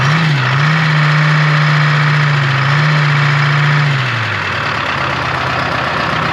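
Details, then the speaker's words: 1976 Ford F250 swapped to a Detroit Diesel 453T, sitting since 1996, first start: a steady, even idle with a strong low hum that settles slightly lower. It runs nicely and is not very smoky, though oil pressure reads low. "well at least it runs oh smells good and it runs like really nice actually it's I'm shocked it's not like super Smoky like runs"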